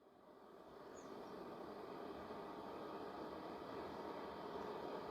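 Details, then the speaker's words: Vevor diesel heater after one year of shop use, just shut down: the fan ramps back up into a smooth, steady whoosh with no rattle and blows cold air across the hot burner; normal cooldown run. "That fan is just going to sit there and run. There is no fire, but there's still heat coming out because you're blowing all that cold air now across the actual burner."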